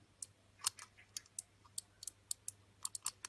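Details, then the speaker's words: Finsecur Nemo C conventional manual fire call point (ref BBG C0216), triggered: light, uneven plastic clicks with no firm snap as the tab fails to press the contact fully, so contact doesn't close; recurring mechanical fault, fixed by bending the tab slightly, not too much to avoid breaking it. "Donc ce qui se passe en fait, c'est que quand il est déclenché, ça fait pas le contact. Vous voyez là. Là si j'appuie, le contact se fait pas vraiment appuyer."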